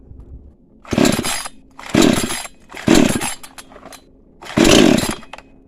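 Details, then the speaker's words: Cheap new chainsaw, cold start with choke pulled out: four sharp rasping pulls about a second apart, the engine coughing briefly as it nearly fires, at which point the choke is pushed back in before starting further. "หลังจากที่มีเสียงเหมือนว่าทำท่าจะติดนะครับผมเสียงมันพรืดขึ้นมาเนี่ยทำท่าจะติดนะฮะให้เรากดโช๊คกลับนะครับผม"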